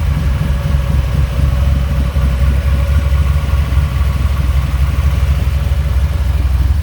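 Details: 1985 Dodge Ram D150 with 408 stroker V8, carbureted, Air Grabber open: deep, choppy loping idle at about two beats a second with no dropouts, all cylinders running clean; normal lumpy cam idle.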